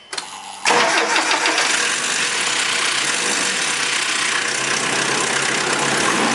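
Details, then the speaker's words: 1996 Nissan with KA24E engine: harsh metallic timing chain rattle at start-up, usually mornings when cold, fading into busy clattery idle; fixed by installing a tensioner spacer. "that rattle just starts usually in the mornings when I go to start it,"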